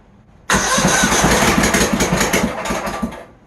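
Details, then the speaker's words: Troy-Bilt GTX 20 engine, after a longer rocker arm bolt was fitted, run on sprayed car cleaner as starting fluid; catches with uneven, loud popping about four per second for three seconds, then dies; rough running, another issue still unresolved. "I know it didn't sound the greatest but I think that's a heck of a start we're finally getting somewhere here"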